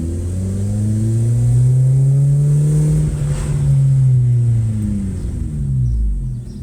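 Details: Ford Focus MK2.5 at full throttle with code P0336 (crank position sensor range/performance) and E196 invalid RPM data: engine drone wavers and sags, nearly stalls, then just keeps going; misfires mostly above 5k rpm, speedometer drops out.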